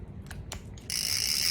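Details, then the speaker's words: Used Penn International II 16S right-hand fishing reel with drag set, turned forward: a couple of clicks, then a steady, loud, high-pitched gritty rasp, a noisy rough crank. "เดินหน้ามีเสียงแบบนี้นะครับตั้งเบรคก่อนนะฮะนะครับคุณก็จะมีเสียงนะครับ"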